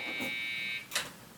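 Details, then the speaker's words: PC from a bought junk lot, powered on at the POST: a single long high beep and the machine stops; no RAM installed, so it cannot start. "that sounds to me like a ram problem let's see if it has any no ram well it's gonna have a hard time starting then"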